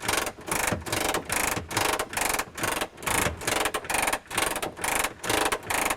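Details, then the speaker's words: Messerschmitt Bf-108 under restoration, handle twisted to down position and gear cranked down manually: even ratcheting strokes about two a second, no binding or grinding; gear lowers normally. "So of course, to put the gear down again, you're just going to twist the handle to the down position and just crank the gear down, and away it goes."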